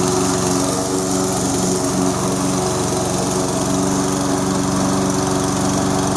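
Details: Toro SR4 Super Recycler mower, 159cc engine, after fixing surging by cleaning out debris: even, steady drone with no hunting or surging.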